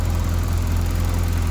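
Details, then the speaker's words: Fiat Uno Turbo ie (over 200 hp) after repair, cam timing belt marks aligned and valve shims adjusted, first start: smooth, even idle with a steady low drone and faint injector ticking, exhaust leak gone; sounds healthy. "après pour le reste ça va. Juste le bruit des injecteurs, plus de fuite d'échappement. Ah, ça tourne ça."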